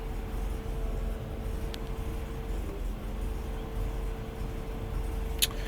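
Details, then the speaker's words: 1992 Mercedes-Benz 300E cold start after sitting three to four weeks, car on a jack: shaky, rough idle with a low uneven rumble and faint steady hum; attributed to a bad fuel line, with a bad head gasket also suggested. "just try and just you know turn the engine over it's shaken a little bit actually but it's it started now"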